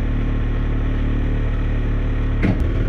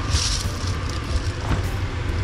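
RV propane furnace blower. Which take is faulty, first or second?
first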